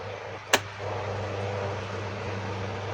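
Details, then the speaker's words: Second-hand electric fan after DIY repair of loud noise, running on speed 1: a switch clicks, then a steady, even low hum with no rattle or grinding; running smoothly and stronger. "ก็มีความแรงขึ้นมาเลยนะครับความลื่นนะครับเบอร์1ถือว่าใช้ได้นะครับ"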